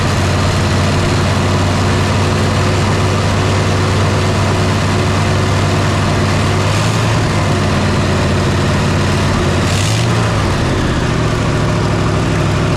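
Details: 1968 Chevy C10 small-block V8, first start after sitting since 1996 and freeing a seized engine, fired on spray: steady, low, even idle, constant drone, no knocks or misses, smoke from exhaust; running smoothly.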